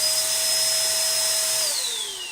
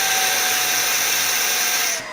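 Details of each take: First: Old-school Sanitaire/Shark upright vacuum with no-suction complaint, motor on: steady high whine holding one pitch, falling smoothly at switch-off; no air-leak hiss, quiet as it should be; normal running. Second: Shark upright vacuum with no suction: loud high-pitched rushing whine with a thin whistling note that shifts near the end, as the suction relief valve opens because the hose is clogged.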